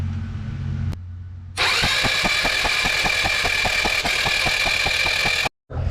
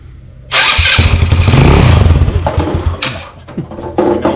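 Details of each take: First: Icebear Maddog 150 Gen IV GY6 scooter that cranks but won't start; compression was checked OK and the plug was grounded outside the engine. The starter spins about four compressions a second, never firing, with no spark. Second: Icebear Maddog 150cc Gen IV GY6 that cranked but would not run, fixed by refitting the stock CDI in place of the aftermarket one: catches right away and settles into an even steady putter.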